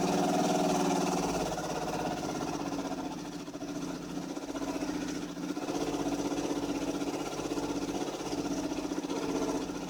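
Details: 2005 Dodge Magnum 2.7L with rough idle and hard starting, no check engine light or codes: uneven, hunting idle at about four pulses a second; the engine smells hot and later smokes white. Cause not confirmed.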